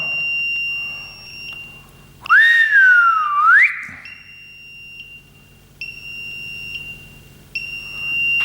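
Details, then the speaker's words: Smart circuit breaker (smart MCCB/RCBO) with phase and neutral disconnected and no power, grounding test on its output with phase taken from outside: limits earth leakage to 7 mA and keeps signalling with repeating high-pitched double beeps about every 1.5 seconds. "When I check if simple grounding is working or not, the relay or the smart fuse is limiting it to 7 milliamperes and it's still giving a signal."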